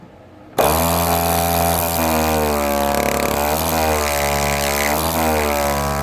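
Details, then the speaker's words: Harbor Freight Central Pneumatic air compressor under repair, run with head removed: loud motor drone with fast pumping pulse kicks in abruptly and holds steady; high-volume pump, motor spins up, fault not yet apparent. "It does appear to be a high volume pump, but I can hold that back with my thumb, and you can hear the motor spin up there."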